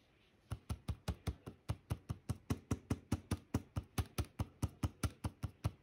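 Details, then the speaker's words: Lenovo Legion 5 Pro laptop (Ryzen 7 5800H, RTX 3060) trackpad pressed; sharp hollow knocks two to three per second, each press a loud clack; abnormal trackpad clicking, support suggested damage, owner denies it, cause unconfirmed. "तो फिर पता लगा कि आवाज भी करता है तो आपको मैं अभी एक्सांपल सुना देता हूं कैसी आवाज कर रहा है"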